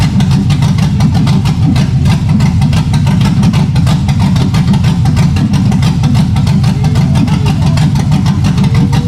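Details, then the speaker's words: 1965 Impala V8 build after rewiring: steady, slightly choppy idle with an even loping beat from a nice little cam, no ticks or knocks; runs good. "All right, YouTube. Y'all just heard it run, man. She runs good. Damn good. Nice little cam. Runs good."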